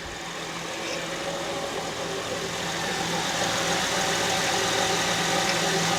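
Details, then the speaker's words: 2006 Honda Ridgeline at idle after start-up, in the engine bay: steady whine that does not sound like a belt, from the power steering pump with low fluid. "I think I know where it's coming from because power steering is low it's like whenever it hits a certain spot yeah there's the whining sound"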